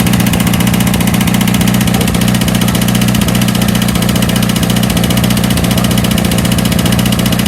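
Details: 1982 VW Vanagon Westfalia diesel just started after new battery, glow plugs and starter, on a chilly day: steady, even diesel clatter at about 220 beats a minute with no misses or knocks; normal idle.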